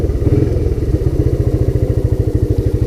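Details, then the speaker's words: Honda Big Red ATC250ES after its no-start was fixed by cleaning the sticky carb and intake and refueling with stabilized gas and Sea Foam; even, steady low single-cylinder thumping with no misses or rattles, running beautifully. "I mean, I'm happy with it. It's running beautifully. Let it run itself out of gas."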